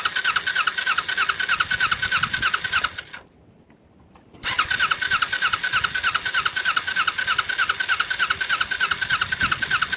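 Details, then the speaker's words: Kawasaki Ninja twin project bike on temporary fuel splitter: uneven, choppy idle with a brief dropout and pickup; rough running, flooding with fuel dripping from the inner carburetor, carburetors suspected. "Well, it runs. Definitely doesn't run the best. Those carburetors, I think, are the biggest issue right now."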